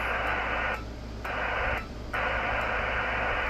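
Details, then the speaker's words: Kenwood TS-430S HF ham transceiver: receiver hiss cuts out twice for about half a second, then snaps back, audio dropping in and out from dirty relays, described as a common problem on these radios. "It's got dirty relays. See, it's quiet. That's the relays."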